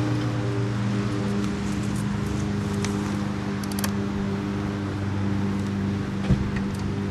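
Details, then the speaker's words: Coleman Vertex 7850 Professional vertical generator, 15 HP, electric start with new battery and fuel pump, already run the day before: steady, even drone with a constant low hum and no knocks or surging. Normal running. "All right, I'm just going to start it up just to show you how it runs."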